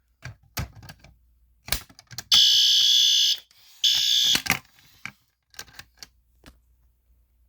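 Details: Pull-station fire alarm demo: two loud, shrill, steady alarm blasts about a second each, broken by clicks of the station being handled; the fire alarm is sounding properly.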